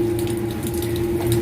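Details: Booster pump during commissioning, pressure set to start at 2: steady pump hum with an even tone and water rushing through the outlet, no knocks or rattles; normal running.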